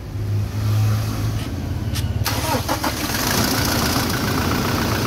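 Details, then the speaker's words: Toyota 1GD diesel after replacing the noisy alternator bearing: cranks, fires and settles into an even, quiet idle clatter with no whine or rumble from the front accessories; normal idle. "tahimik na mga guys Ayan yung Bering na pinalitan natin"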